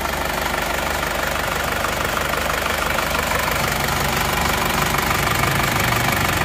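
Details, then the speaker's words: Isuzu Panther L 1740 diesel, warm idle after piston ring and piston replacement; rough sound was from worn sleeves, not the injection pump. Even clatter about two beats per second, no shake when hot: normal idle. "Tapi menurut saya mobil ini sudah tidak goyang saat panas sudah tidak goyang goyangnya hanya sebentar pada saat pagi saja itu pun tidak terlalu"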